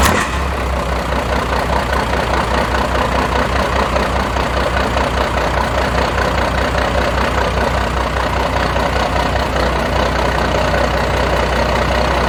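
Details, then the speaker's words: 1992 Dodge D350 Cummins diesel after sitting about 14 years, new fuel filter primed with ATF, fuel shutdown jumped: even diesel clatter at steady idle, good oil pressure, not charging; normal running. "got good pressures says it has a fuel a full tank uh not charging uh but it's running"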